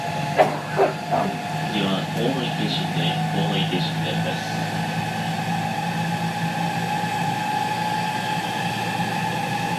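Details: JR West 207 series 1000 T17, recorded aboard KuMoHa 207-1037 (Toshiba GTO inverter), Tokuan–Kōnoike-shinden, iPhone 5s: stepped tones climb on pulling away, then a beating, warbling hum, as the Nishi-Akashi/Shin-Sanda-side inverter modulation is out of step with the Kyoto/Kizu side.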